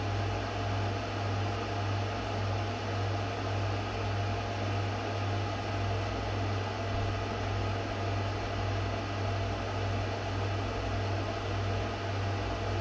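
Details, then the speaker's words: Microwave heating water for one minute on a KRXNY 2000W pure sine wave off-grid inverter (48V DC to 120V AC 60Hz), with a reading of about 2500 watts; steady low mains hum under even fan and turntable whir, normal microwave operation. "this thing is pushing 2500 watts guys it says 2000 watt it's pushing 2500 watts remember I'm not using this guy I'm using this okay I just went and turned the microwave on 2500 watts"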